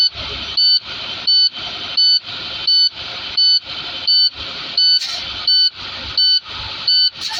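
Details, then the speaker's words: Class A tractor-trailer in cab at start-up after air drained (brakes set at 37 PSI), transmission in neutral: shrill evenly spaced beeps about 86 a minute over faint engine; low air pressure warning, cleared by raising to at most 1500 RPM. "To get rid of the alarm so that you can hear me better, I will accelerate no more than 1500 RPM."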